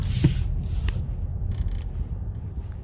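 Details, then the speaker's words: Car with clicking complaint when driving slowly or braking, road-tested after loose golf balls and debris were cleared from the cabin: only low, even road rumble while driving slowly, no ticks or clicks; normal quiet cabin. "아무튼 소리가 나지 않습니다"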